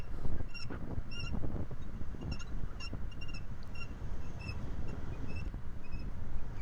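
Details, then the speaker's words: 2008 BMW X5 E70 4.8i, left front wheel on rough street: sharp high squeaky chirps in bursts over bumps and when braking shifts weight forward, fading under acceleration; owner suspects worn lower control arm bushings or ball joints, not brakes. "I'm guessing that this noise is from bad bushes or ball joints so once again, I'm gonna look at these area trying to shake and recreating the noise"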